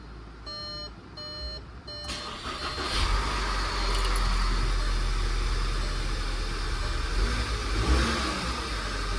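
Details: 2014 VW Tiguan 2.0 TSI (CCTA) push-button start after turbo-to-downpipe gasket replacement: dash chimes, cranks, catches and settles to a smooth even idle with one clean rev; normal start-up.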